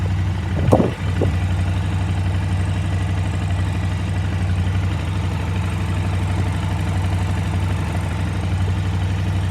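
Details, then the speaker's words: KTM 950 V-twin during carburetor sync with air filter off, airflow readings balanced near 10: low, even thrum holding a steady beat with no hunting or stumble; normal balanced idle. "you'll hear how the bike kind of balanced out as i got close to 10 so we'll see what the front one looks like"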